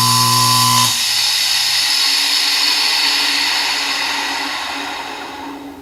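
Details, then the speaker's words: Delta 1-inch belt sander after its bearings were cleaned, having made a high-pitched scream before: the motor spins up and coasts down with a clean, steady hum and no squeal or grinding. The bearings sound healthy. "I think that may have fixed the problem again I think maybe those bearings just over time needed to be lubricated and kind of cleaned out a little bit"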